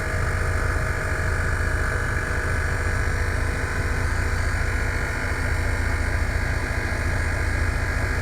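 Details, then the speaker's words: Scania TGB30 SBA111 military all-wheel-drive truck, 11-litre D11 diesel, idling after cold start; brake pressure warning buzzer drones steadily until air pressure builds enough to release the valve: low air pressure warning. "Now we just need to wait for the air pressure to move up a bit here. So the alarm goes off. We can release the valve. That's a brake pressure warning light."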